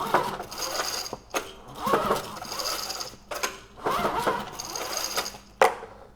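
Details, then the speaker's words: Powermate Pulse generator from the trash, very low compression, pulled over by recoil: rattling clattering knock on each pull; sounds like rod knock but possibly external near the starter recoil, unconfirmed. "so yeah that noise it is not a good one you know it kind of sounds like Rod knck"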